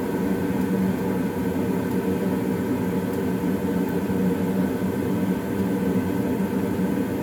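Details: Old Goodman gas furnace after startup: steady low roar with smooth fan hum, no rattles or surges; burners and blower running normally.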